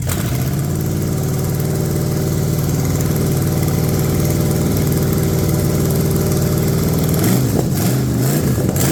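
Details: Ford 460 big-block from a neglected farm chore truck, first run on a gravity-fed lawn mower tank and the original mechanical fuel pump, no cooling system: a deep, even idle, then clean revs. No smoke, no clatter, great oil pressure. Healthy.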